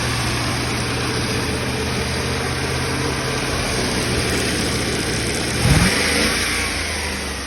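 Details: Cheap Land Rover Discovery 1, now running after the next owner got it going: steady, even V8 rumble with a brief blip of revs that settles back down; the engine starts and runs smoothly.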